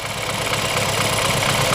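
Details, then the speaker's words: BMW F30 328i N20 engine running at idle with oil cap cracked open: rough uneven idle and loud hiss of massive crankcase blow-by, caused by lost compression in cylinder 2 from a damaged cylinder wall; misfire, engine considered dead. "that that's a massive blow by and this is cows because we have a compression leak that is a clearly sign then this engine is dead completely dead"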